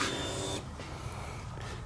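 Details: Dirt bike fuel pump, checked with inline gauge after it ran poorly and wouldn't idle: short electric whir cutting off after about half a second, then quiet steady hum; pressure over 40, near 45–50 spec. Normal fuel pump priming.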